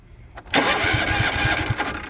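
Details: Toro TimeCutter 42-inch zero-turn mower, key start: brief cranking, then the engine catches at once and runs on with a steady, even beat, a clean normal start.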